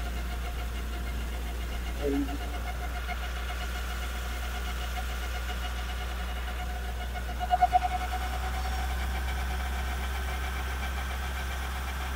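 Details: Nissan NV350 van with a drivetrain hum. After a brake lining that was rubbing and burning the drum was moved away, a steady low drone with a faint constant tone persists. The mic was held at the propeller shaft and cross joint; that rear driveline source is suspected, not confirmed.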